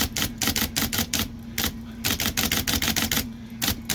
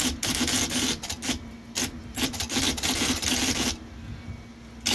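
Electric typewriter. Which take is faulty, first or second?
first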